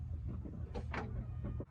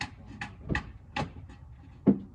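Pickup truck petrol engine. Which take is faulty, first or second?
second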